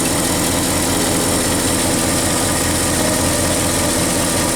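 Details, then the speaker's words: Ford 360 FE V8 with Motorcraft 2100 2bbl, after regapping Autolite 45 plugs wider. Low, even burble at about 600 rpm with no misses; less rpm shake than before. Normal idle. "The RPMs are shaking a little less. cuz I got the plugs to um 44 instead of 34."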